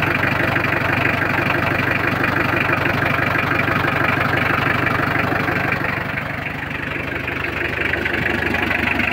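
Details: Mitsubishi L300 diesel after clutch, clutch cable, clutch master and tie-rod end repairs, started after heater glow: steady, even idle clatter with no squeal or misses, settled rhythm; engine sounds healthy.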